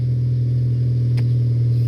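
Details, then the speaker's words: 2002 Saturn SL four-cylinder idling smoothly after repair, firing on all four with a deep steady hum; before the fix it sounded like a bad diesel running on two cylinders. "i could already tell you that it's firing on all four that's it guys this is nice and smooth the engine is definitely firing on all four"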